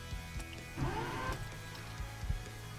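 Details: 2004 Mazda 6 3.0-litre, manual with clutch, starting from the driver's seat: short crank with a rough wavering whir and scraping as the starter engages; owner first suspected the starter but found a damaged flywheel.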